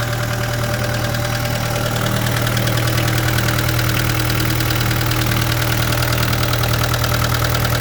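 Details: 2013 Vermeer SC602 stump grinder, rebuilt Cat 2.2 L 3024C diesel with rebuilt injection pump, 1,040 hours on meter, under an hour since rebuild: steady, even clatter settling into a smooth idle, no misses or knocks; healthy engine.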